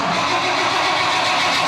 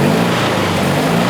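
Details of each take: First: Freshly restored 1976 Toyota FJ40 Land Cruiser: the starter spins, the engine catches cleanly and settles into a steady, smooth idle; a normal start and idle that sounds healthy. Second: Abarth-modified Fiat 500 two-cylinder racer with emission controls removed, freshly started cold: rough, uneven, lopsided chuffing while running on one cylinder instead of two; cold-start misfire on one cylinder.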